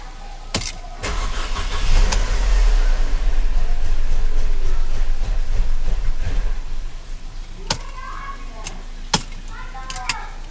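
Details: Mercedes E250 CGI W212 M271 on first cold start cranks, briefly catches and stalls within seconds with pending ignition coil codes P2301/P2304/P2307/P2310; all four coils already replaced without curing it, stalls even at wide-open throttle.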